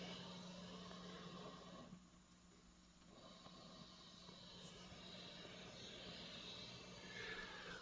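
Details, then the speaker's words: Roland JC-120 solid-state guitar amp at full volume with no effects: a steady, airy hiss with a faint low hum, the amp's normal self-noise. "if you're thinking about buying this amp there's something you might want to know first this is a rather noisy amp let's take a listen"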